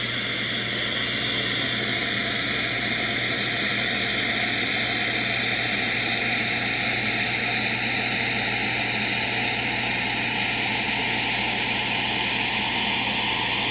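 Continuous loud, even hiss of water and steam rushing out under pressure, steady throughout; normal boiler drain on a hot machine.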